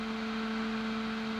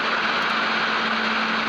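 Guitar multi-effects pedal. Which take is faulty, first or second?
first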